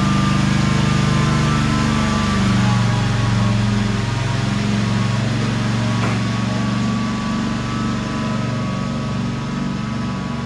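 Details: 2003 Wright Stander, 23 hp Kawasaki twin, after the wrongly hooked-up parts were corrected and adjusted: holds a steady, even speed with a smooth drone and no hunting or misses. It runs as it should.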